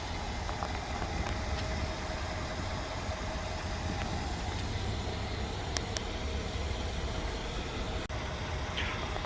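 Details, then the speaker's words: Mercedes-Benz GL X166 Airmatic air suspension, new compressor after the rear air shocks dropped while driving: steady even hum with a faint whir and no rattles as it charges the system. No malfunction lights, running normally and much quieter than before. "but the compressor is running and it is charging the systems there is no malfunction lights on right now"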